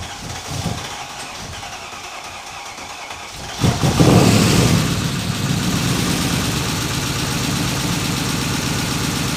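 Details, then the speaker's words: Mercedes M113 5-litre V8 swapped into Ford Capri, start with open exhaust leaks: catches to rough idle with quick even top-end ticking that sounded terrible, then quieted after running and revving; owner suspects hydraulic lifters. "So yeah, this top end noise is odd. Well, this thing here sounded horrific when I first turned it on. The top end sounded terrible,"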